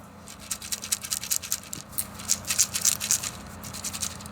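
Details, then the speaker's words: Shaking a dried-out AGM battery cell from an APC UPS gives a dry, scratchy rattle about four times a second with no liquid slosh. The cell is dried right out and dead. "This cell is out of an APC UPS. It is dried right out. It is done."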